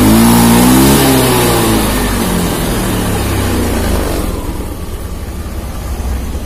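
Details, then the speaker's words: Honda Beat FI with the battery disconnected, throttle blipped. It picks up cleanly and settles to a smooth idle, running normally. The fault, hunting idle and stalling on throttle, is confirmed as a corroded battery causing intermittent current, not a weak fuel pump. "Oke, dan hasilnya oke ya, walaupun sudah kita cabut ya."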